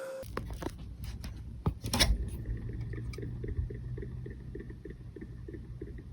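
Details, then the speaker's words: Restored 1987 Casablanca Zephyr ceiling fan with newly replaced bearings, initially silent: later light regular ticking about four times a second over low motor hum; one new bearing turned out defective. "And then all of a sudden one day I get a text from Matt saying the these baronss are making some weird noise."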